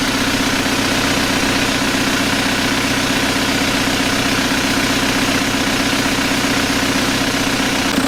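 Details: 1991 Toyota pickup with swapped 1.9 L ALH TDI turbo diesel from a 2000 VW Jetta, warm with oil cooler thermostat opening. Steady, even diesel clatter at idle with no knocks, misses or surges; healthy and settled.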